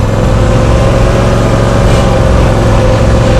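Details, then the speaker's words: Cub Cadet Ultima ZT1 50-inch zero-turn mower, owned about 10 weeks, running on a hill, where it stumbles slightly; the engine gives a steady, deep, even rumble with no knocking or ticking; owner unsure whether it needs oil. "It's kind of rumbly. Right now it's actually, I don't know if it needs to be oiled, but you hear that noise that it's making."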